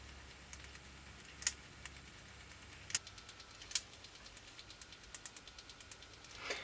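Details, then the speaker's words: Car cassette deck (Philips DC103, Pioneer KEH-1750 or Clarion ARB-1170K) under repair; irregular light ticks and clicks with sharper snaps even with the reel stopped, suspected in the auto-stop mechanism or a noisy gear, not confirmed. "Interesting. Even with the reel stopped, it's making that noise. It's definitely in part of this auto stop mechanism, I guess."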